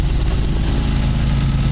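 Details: Newly fitted MIDIF 27CV boat inboard engine on its first sea trial, running with a low, steady, even drone and no knocks or rattles; engine noise very faint, normal running.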